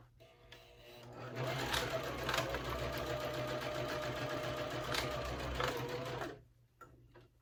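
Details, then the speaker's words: Sewing machine at 2.5 stitch length going back over waterproof canvas layers of a Harlequin wristlet: steady stitching about four stitches a second, strained and uneven through thick layers; sewer suspects presser foot pressure. "And it's struggling to get through it, so I'm going to lessen the presser foot, or maybe I need more pressure."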